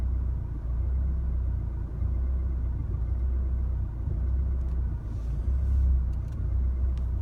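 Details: 2016 Chevrolet Colorado 2.8L diesel in the driveway after a highway drive: low idle rumble surging and sagging about once a second, a rough idle that settles after shifting to park and back into drive.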